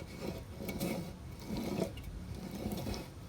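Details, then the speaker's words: New truck axle hub bearing turned slowly by hand: irregular, dry, gritty rasping that sounds crunchy and bad despite being new, possibly only because the grease hasn't been worked in yet. "if i pulled this off to check it i would say that these are bad you can hear it listen to this they're super crunchy"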